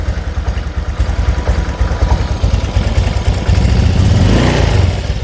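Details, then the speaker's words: Honda Vario 125 (first KZR series) after engine rebuild, idle then gentle throttle: uneven puttering that stumbles at low rpm but runs fine at full throttle; injector, TPS or fuel pump suspected as cause. "Tapi bawahannya kalau gasnya ditarik tuh berebet berebet berebet berebet. Nah, gitu. Biasalah penyakit Vario 125 ya suka kayak gitu ya."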